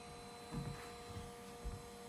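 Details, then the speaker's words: Calf Visinse camera after about 42 minutes of indoor recording: quiet steady whir with fixed tones over faint low rumble as the internal cooling fan kicks on; audible indoors, not an issue with external audio. "on which is kind of loud if we were doing an outdoor festival or something like that you probably wouldn't notice it but indoor taping you can't not hear that sound"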